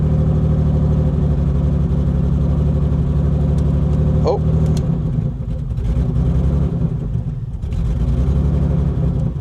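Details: 1984 BMW 633 CSi after long sitting, with coolant, oil, spark and fuel present: loud, uneven engine note with lumpy pulses, throttle blips keeping it alive; runs rough.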